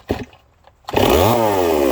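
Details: Stihl 024 AV chainsaw after carburetor work, having had a start, run a minute, quit problem: a brief pull, then it catches and holds a clean, steady high rev with no surging or bogging.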